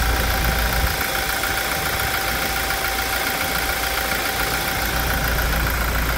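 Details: 2016 Toyota Hilux 2.8 GD diesel, 350,000 km, hood removed, after timing chain replacement: steady, smooth idle note with no knocks or rattles; normal idle, running much smoother than before.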